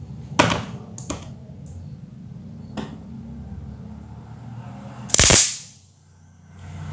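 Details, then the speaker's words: LG Flatron CRT TV, dead with repeating chirp: irregular sharp snaps over faint hum as leaking flyback transformer arcs at power-on, also damaging horizontal transistor; flyback replaced with LG 6174P6002U. "benar teman-teman tadi kita dengar percikan api dari flyback dengan ini menandakan kerusakan di TV ini disebabkan flyback yang sudah bocor"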